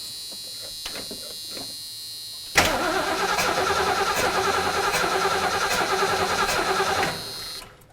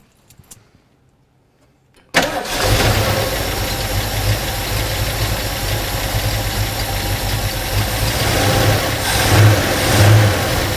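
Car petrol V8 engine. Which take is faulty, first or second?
first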